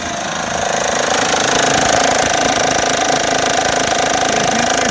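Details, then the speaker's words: Honda Pilot V6 running: loud, fast tapping knock about three times a second. The owner attributes it to the water pump. "okay YouTube here we go on the pilot really bad knocking tapping crazy noise oh"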